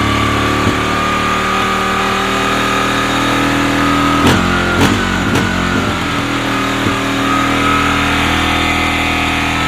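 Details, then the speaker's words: 2001 Kawasaki Lakota single-cylinder, cold start on a jump pack after long garage storage, Sea Foam run through the carburetor: idles but stumbles now and then with a few sharp pops; runs okay but not perfectly. "so I put the jump pack on it and I did fire it up so this is in a cold start"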